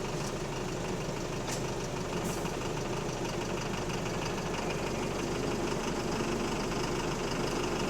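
Heard on board under a dense rumble, an uneven knock of about three per second runs with the engine, suggesting a bottom-end knock. Cause suspected, not confirmed.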